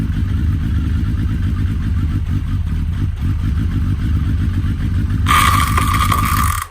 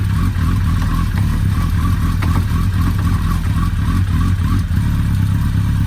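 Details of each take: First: Suzuki Hayabusa, wheel turned in gear while lubricating the chain: heavy metallic knocking and clatter from the clutch side, like metal exploding inside the gearbox, then the bike stalled; cause was a loose clutch pressure plate bolt. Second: Suzuki Hayabusa after repairing a loose clutch pressure-plate screw that freed a spring: steady even low rumble at fast idle with no knocks, rattles, misses or leaks; repaired, normal running.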